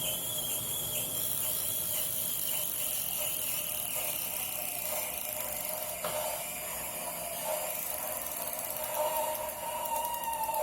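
A thin, steady squeal, with faint irregular mechanical clicks, comes from an indoor bike trainer while it spins.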